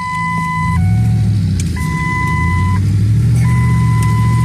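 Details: 2007 Ford F150 with about 250,000 miles, aftermarket exhaust and a suspected exhaust leak: steady two-tone seat belt reminder chime repeating roughly once a second over the engine's low rumble.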